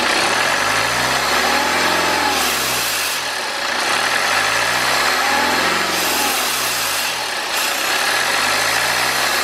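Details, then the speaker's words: BMW 520d with N47 diesel, bonnet up, revved into boost at about 2,500–3,000 rpm: loud rushing hiss that fades off boost, from a leaking charge air pipe between intercooler bottom and intake manifold: boost leak. "okay so we can see exactly what our problem is now we can see that we have an air leak we have a boost leak essentially and it is leaking on the charge air pipe"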